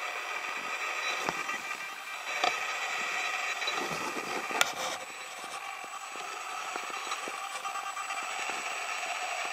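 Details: Panasonic 14-140mm f3.5-5.6 Power OIS lens (H-FS14140), recorded by a compact camera's mic placed next to the lens: steady high-pitched whiny buzz like feedback or distortion, far louder than the owner's other lenses; cause unknown.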